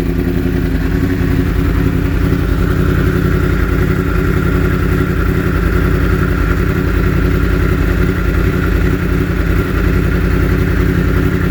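Bike runs with an irregular, choppy exhaust beat and occasional stumbles instead of a clean even note, pointing to a misfire.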